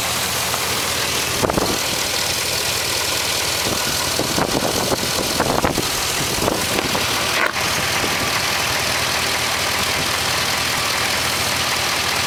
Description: 2006 AWD Trailblazer SS piston slap cold start.